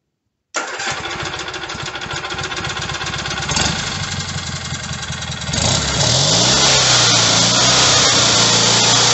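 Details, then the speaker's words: Rebuilt Kohler Magnum M18 single from a Cub Cadet 1882 on a test stand after first start: fires right up within a second, then settles into a steady, even beat that picks up smoothly; sounds healthy. "here it is in all its glory fire's right up man"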